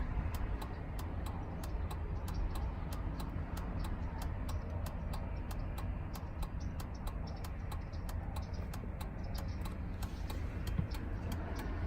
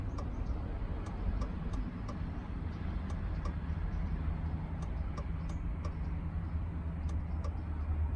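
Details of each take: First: 2003 Chevrolet Suburban after flasher module replacement, tested with the new module. Crisp, perfectly even ticking a bit over two clicks a second, no stalling or speeding up; flasher working as it should. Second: 2003 Chevrolet Suburban with an intermittent old flasher module, left turn signal on in a quiet cabin. Light ticks at uneven spacing with some beats skipped as the flasher drops out; the module is suspected and gets replaced.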